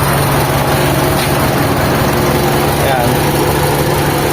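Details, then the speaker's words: Carbureted Mitsubishi Lancer EL, recently overhauled, with a newly fitted timing belt and a converted power steering: an uneven, slightly lumpy idle with a wavering low hum and no clean steady beat. The engine's tone is off and the carburetor seems out of tune. "Tapos ayan start tayo ng engine mga bossing. Ayun medyo hindi maganda yung ano niya yung tono ng makina niya."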